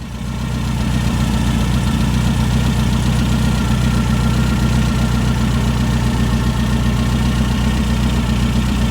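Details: Brand-new 2332cc air-cooled VW Manx buggy engine, dual Weber carbs: steady, even smooth low burble, no knocks, misses or hunting; normal idle.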